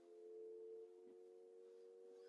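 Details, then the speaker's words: Maxus T90 EV pickup (88 kWh battery, 90 kW rear motor) at low speed: soft, steady, quiet chord of mid-range tones with nothing mechanical underneath; low-speed pedestrian warning, which switches off at 15 mph, working. "Now I don't know whether you can pick that up, but there's a low speed pedestrian warning that will be evident from this low speed, and it switches off at 15 miles an hour, so it's not something that's constantly there, but at this low speed it's good to know it's there, isn't it?"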